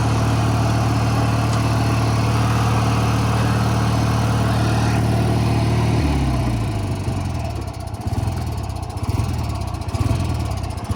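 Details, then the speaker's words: 1985 riding mower, small engine, after kill-switch wiring fix: chugs evenly, then turns uneven and stumbling; rough idle, owner plans raising idle or adding Seafoam. "so I think the next priority is just toh smooth out the idle a little bit so uh I might try uh making the idle a little bit higher or putting seafoam in it"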